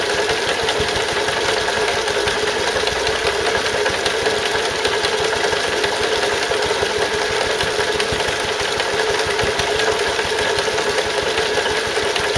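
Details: Stuart Turner water pump (run with Wolseley WD2) after big end bearing replaced: fast, irregular tapping about once a second over the running engine, a leftover knock, much quieter than before; source unknown, owner wonders if a valve.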